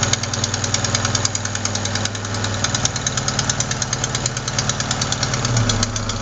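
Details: Engine ticking at steady idle, sharp quick tick keeping pace with engine speed: leaking exhaust manifold gasket at cylinder 4, not lifters or rockers; replacing the gasket fixes it.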